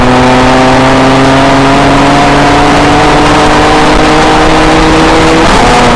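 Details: 2007 BMW E90 335i with N54 engine at Big Willow, lap 11, on a custom Sutphin transmission tune fixing shift-timing flare and misfire. Engine note climbs at full throttle, then drops cleanly into the next gear with no flare or stumble.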